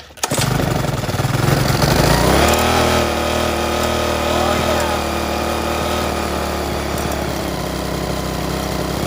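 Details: Restored rusty 3.5 hp Briggs and Stratton single-cylinder flathead (new gaskets, filter, spark plug, pull string), first start after rebuild: catches after a brief crank and settles into a smooth, steady run with an even exhaust beat, no knocks or misses; normal running.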